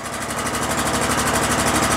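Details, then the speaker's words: Exmark Lazer Z 60-inch mower, 27hp Kohler engine, after carburetor removed for flooding, choke on, half throttle then revved: rapid hard metallic knock rising with revs, suspected internal engine damage. "i hear a nasty knock in there did you guys hear that knock oh man there's a nasty knock in there"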